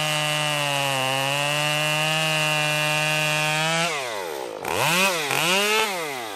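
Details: Stihl MS 194T top-handle chainsaw after muffler mod (inner baffle removed), freshly tuned, cutting red oak: high steady scream through the cut, clean dips and recoveries on throttle blips, no bogging; normal running under load.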